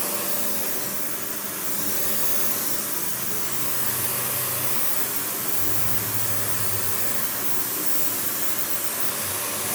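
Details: Panasonic upright vacuum, one of the last sold in the US market, with bare-floor switch, low-mounted power switch, auto height adjustment and brush roll that stops when upright: steady even rushing motor and airflow hum, no surging, rattling or belt squeal; normal running.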